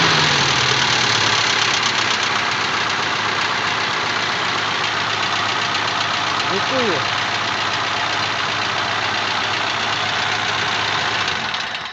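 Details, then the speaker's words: ZMZ-406 engine running with a light tapping of about four knocks a second under a loud hiss; unexplained knock, owner unsure whether hydraulic lifters or something else, engine to be opened up. "Ну вот у нас непонятный стук непонятный то ли гидрокомпенсаторы то ли что-то ещё"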